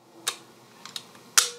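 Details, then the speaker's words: Mamiya C220 Professional TLR medium format camera with standard 80mm leaf shutter lens, firing: just a couple of soft, crisp small clicks in a quiet room; a healthy leaf shutter, far quieter than a focal plane shutter. "The other advantage to a leaf shutter lens is they're incredibly quiet, as you can hear. That's all the sound that this camera makes when it fires."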